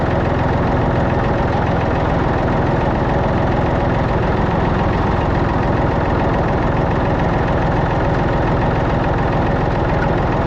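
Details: Massey Ferguson 245 three-cylinder diesel tractor (Perkins tag) idling after 12+ years unused, burnt/melted radiator; loud, steady, even clatter, no stumbling or misfires, shut off soon to avoid overheating. Normal diesel idle.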